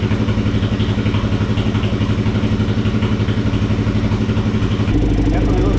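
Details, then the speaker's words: Kawasaki KFX400 single-cylinder after engine case replacement, carburetor still leaking gas: steady thumping idle at about three beats a second, even and unbroken apart from a small step in pitch; healthy running. "sounds good. It's a healthy motor."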